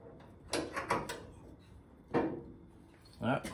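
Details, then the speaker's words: Body of a 1970 Ford Mustang creaks as pulls bring the shell back onto the new rear frame rails sitting on the jig: sharp wooden-sounding creaks and pops in short bursts, normal panel stress as everything shifts into place. "s can hear it, but as I tighten it, you can hear the car creaking a bit. So that's everything shifting back to where it needs to be."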